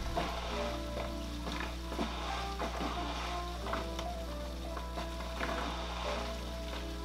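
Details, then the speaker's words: Fluval FX6 canister filter, filled only halfway at first start: steady low hum with gurgling, sputtering bursts as trapped air works through; normal self-priming that should shut off in about a minute and then fill completely. "You hear that crazy sound? That's the FX6 priming and filling. Totally normal."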